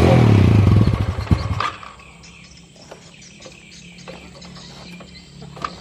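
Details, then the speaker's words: Yamaha Jupiter motorcycle that won't hold idle even with air and idle screws already adjusted. Engine pulses about three times a second and dies within two seconds once throttle eases; stalling at idle. "Gitu aja kok nggak mau langsam gitu ya kebaca Nyalakan jadi ketika dinyalakan seperti ini ya kita Nyalakan seperti itu harus dengan posisi tegas kalau gas saya turunin dikit aja langsung mati"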